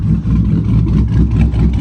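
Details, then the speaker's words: Dodge Charger SRT8 426 Hemi V8, idle just dropped from 850 to 800 rpm: deep, steady, slightly lumpy rumble with an even beat, no knocks or ticks; normal idle. "so I dropped the idle to 800 it was at 850 I just dropped a 50 rpm"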